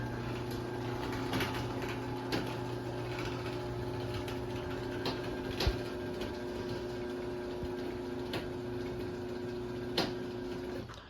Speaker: So yeah, you can kind of hear the popping noises that it makes, but it is pretty quiet though. At least the motor is.